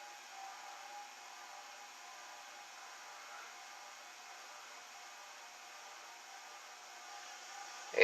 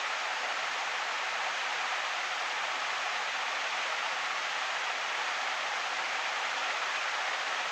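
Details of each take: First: Envirofan Gold Line Industrial 160F ceiling fan (c.1978, new in box, about 30–40 years old) running on a solid-state speed control at 0.23–0.45 A, eighth-turn steps; steady harsh electrical motor buzz, very buzzy; owner wonders if that's why the motor was changed. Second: Envirofan Gold Line industrial ceiling fan model 160F, c.1978, started straight from off to high, drawing 0.95 amps on high; steady, even rush of air with no ticks, wobble or rubbing, normal smooth running on high speed.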